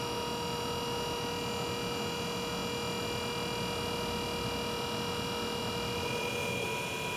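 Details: BG PF5-HO transmission fluid exchange machine with added high-output pump during ATF exchange: quiet constant whine at several steady pitches over soft hiss as fluid indicators rise; pump running normally.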